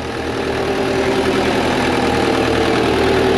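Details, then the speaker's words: JLG manlift diesel bought with a bad engine, first start after repairs, minor fuel leak on top: steady, even idle with smooth low drone, no knocks or misses; normal idle. "she sounds good I know it we got a little bit of the fuel Lake up on top but it's an easy fix"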